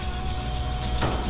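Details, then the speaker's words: Large 12-foot belt-drive RV garage door after replacing 12 steel roller bearings with nylon rollers: low steady hum as the door travels down, no rattling or clatter; now runs quietly. "Oh, so much quieter. That's how a garage is supposed to sound."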